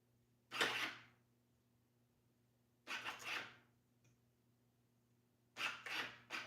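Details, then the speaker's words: Car trunk that won't open, latch actuator wired directly to power and ground: three short, quiet buzzing bursts a couple of seconds apart over a faint hum; the motor runs weakly but the latch does release. "You can hear it, but it's not releasing. Or did it release? It did."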